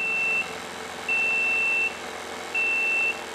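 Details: DIY TIG welding water cooler with a diaphragm pump, accumulator bottle and flow sensor: steady high beeps about half a second long, every ~1.5 s; the no-flow alarm sounds when coolant flow is insufficient.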